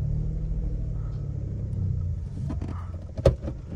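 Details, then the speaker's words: VW Polo driven over potholes and rough road after link rod replacement: only low road rumble and one soft thump, no clunks or rattles; the earlier irritating cabin noise over bumps is gone. "ये देखो मैं गड्डे वड्डे से निकाल रहा हूं उसको कोई आवाज नहीं साइलेंट हो गई"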